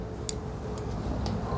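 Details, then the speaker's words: Honda CG Titan 125 converted to electric with EV car battery and 3000 W hub motor: sharp faint clicks about twice a second over a quiet hum inside the battery pack. Owner feared leak or explosion, cause unknown. "Vừa mới thu âm xong. Tôi cứ nghe thấy tiếng lách cách."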